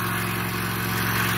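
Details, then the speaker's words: 2015 Toro Recycler 22-inch mower after auto governor/oil slinger replacement (idle had been stuck wide open), still smoking off cleaner; steady single-cylinder buzz at an even governed speed, no surging or hunting, running as it should. "But it sounds good now. It's running exactly the way it's supposed to."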